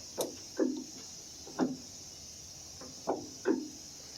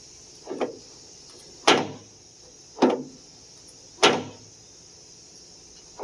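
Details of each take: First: 1991-1995 Acura Legend coupe door check after removal and greasing of pin, before trim panel refitted: few soft thumps and brief creaks, no sharp pop; door operation now quiet and smooth. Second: 1991-1995 Acura Legend coupe door: sharp pops roughly once a second as the door swings, each with a brief dry creak. The door check strap is the cause; it must be removed from the door to lubricate.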